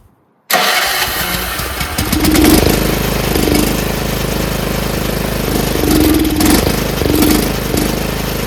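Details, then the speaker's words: Troy-Bilt 30-inch rear engine rider mower on oil-gas mix, off choke: runs roughly with uneven surging, never settling to idle; fuel starvation, owner suspects float and needle. "So we know it runs, but it's not getting fuel. That sucks. Why isn't it getting fuel? I think that nozzle is just not getting enough fuel."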